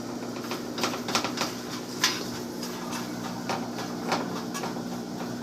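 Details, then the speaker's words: Samsung dryer after replacing the bad bearing assembly and greasing the bearings: hand-spun drum gives a low even hum, nearly silent, with loose handling taps and clicks; drum bearing spinning freely. "And now you can't really hear it as much. That extra lubrication that it does not say on the package. If you add a little bit of grease on your bearings, you hear that silent now."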